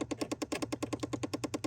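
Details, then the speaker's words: Chevy Impala HVAC, searching which AC actuator is bad: rapid, even clicking about ten per second over a low hum; failing blend door actuator to be replaced. "okay so I do hear clicking is it this one over here it is clicking"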